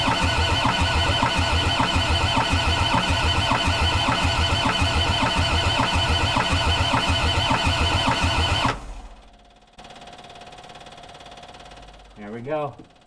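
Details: Old abused Kubota-engined skid steer, long unused, after bleeding the injectors and using the glow plugs, about 20°F in snow: a steady starter churn under two compressions a second for about nine seconds that never catches; it cranks but won't start.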